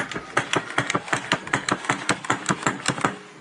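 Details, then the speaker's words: Inmotion V14 electric unicycle with the wheel spinning free: sharp knocks once or twice a second felt in the left pedal and faintly echoed in the right, from a loose, fallen-out bushing. "Идет стук прямо в левую педаль. В правую вообще туда типа какие-то отголоски доносятся."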